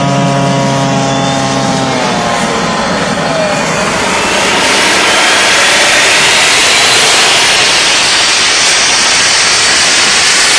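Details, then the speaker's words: DIY gas jet turbine go-kart built around a turbocharger, diesel-fuelled afterburner, idle about 22000 rpm, just lit: steady rushing roar with high whistle building smoothly as it spools up, no pulsing; normal run. "that's why with a jet engine it's just you just get a continuous noise you don't get the throb like you do with a uh there another word throb like you do with a uh um internal combustion engine"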